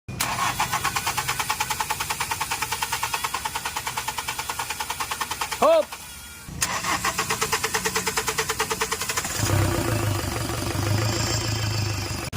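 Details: Hyundai Accent CRDI diesel: long cranking at about four to five even strokes a second with no catch, then a brief ragged firing; the engine is hard to start.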